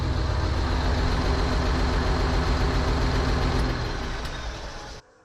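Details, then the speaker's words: New Holland TS115A tractor diesel after setting injection timing: a little rough at the start but fires right up, then runs steadily and evenly with no knock, miss or smoke; considered fixed, though an unidentified ticking remains. "A little rough at the start, but fires right up. Doesn't sound bad. Not smoking."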